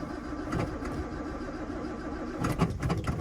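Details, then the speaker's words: 1966 Jaguar XKE Series 1 2+2 cold start on a wintry day, choke up, push-button starter, a little gas: quiet cranking, catches promptly and runs soft and even; normal, very quiet cold start. "now she's a little bit cold so you can you can barely even hear the motor running that's how quiet this thing is"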